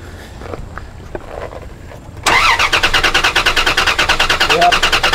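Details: Dodge Dakota cranking: steady starter churn about three beats a second, never starts; spark present, stored cam sensor code unrelated, cause found to be no fuel pressure, fuel pump circuit and ASD/fuel pump relays tested.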